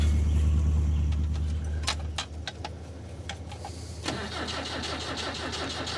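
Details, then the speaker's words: Long-sitting vehicle with a dead battery: the starter grinds sluggishly at about four turns a second and fades out without the engine catching; slow crank from a weak, uncharged battery. "I'd say without a charged up battery, there ain't no way that's starting."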